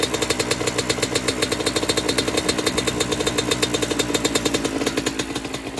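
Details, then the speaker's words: 1996 Honda CR80 two-stroke project bike, first run after clearing a fuel blockage: quick, slightly uneven, burbly popping idle. The carb is now flooding, likely a sticking float (suspected, not confirmed). "The carb is now flooding. I mean, it runs, ticks over, but yeah, we're flooding now, so got to see why that's sticking."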